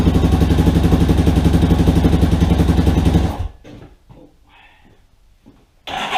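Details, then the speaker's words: Rebuilt Yamaha Warrior quad, first start after engine install and carburetor cleaning, idle screw two turns in, not yet broken in: even single-cylinder putter about four beats a second, no ticks or knocks, then shuts off; healthy idle. "so holy crap guys she's running it sounds pretty good oh i gotta mess with that idol a little bit more but man guys this sounds really good"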